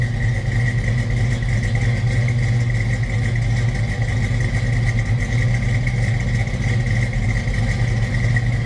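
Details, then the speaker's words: 1965 Ford Mustang Fastback 2+2 V8 with mild cam, automatic; deep, even idle with slight lope, no knocks or misses; normal idle. "That sounds good."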